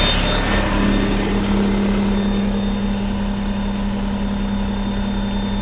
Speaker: i do hear a high a little bit higher idle air compressor is still running but you can barely hear it around the diesel engine